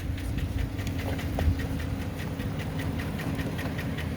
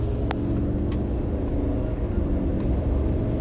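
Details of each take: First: Before treatment with AMSOIL power foam, flush, Signature Series oil and PI cleaner: rough, uneven idle with a terrible loud, steady rapid lifter knock up top over the low rumble, much worse than a slight tick. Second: Diesel truck after engine flush and AMSOIL signature oil, about 200 miles; previously had a strong lifter-type knock: at road speed only a low, steady rumble, no ticking or clacking; quiet, normal running.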